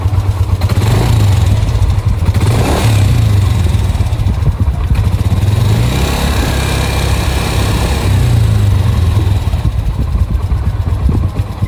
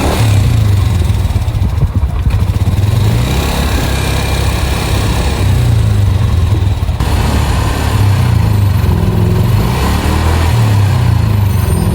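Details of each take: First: Yamaha NMAX scooter engine running with a rough, clattery top-end rattle from a slack (stretched) cam chain; a missing O-ring at the camshaft is also blamed for the noise. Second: Yamaha NMAX scooter after a major service replacing the very loose cam chain, the leaking cam chain tensioner and the worn cylinder block, with new NGK plug and oil: a steady, smooth engine note with no ticking or rattle. The earlier noise is gone.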